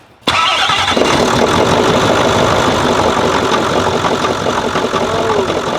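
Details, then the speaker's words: Nissan Titan 5.0L Cummins V8 diesel, only 40,000 miles; starts instantly into rough idle with deep knock under the clatter, a spun crank bearing that destroyed its housing. "as we're working on a Nissan this is their uh 5 L which is about 300 cubic in V8 cumins it uh is in the Nissan I think this is a 2018 it's got a noise"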